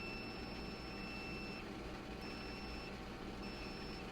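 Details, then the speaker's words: Generac 22kW standby generator that failed to transfer back to utility power: fuses pulled with power off and tested with a meter on ohms; three clear high continuity beeps mean a good fuse, while the blown fuse gave no beep. "that means that's a good fuse one of those fuses that wasn't happening was no beep so i knew that was a blowing fuse"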